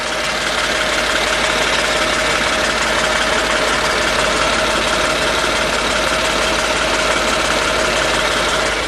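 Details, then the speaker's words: 1998 Mercedes E320 with random misfire all cylinders, bogging at wide open throttle despite new plugs, swapped coils and cleaned MAF: loose metallic marbles-in-a-tin-can rattle under the car when accelerating; owner suspects plugged catalytic converters. "or it could be the cats because when you accelerate well if I step on the gas you can hear uh sounds like marbles in a tin can here"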